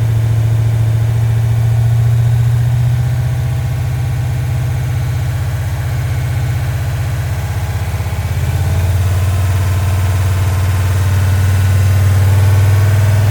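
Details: Rock Auto rebuilt 1990 Mopar 318 small-block V8 from a D150 truck (honed, new Rock Auto parts, Comp special-grind cam, Air Gap intake for Magnum heads), first start-up: timing 15° initial, 33° total; even deep idle rumble, no knocks or misses, smooth and healthy.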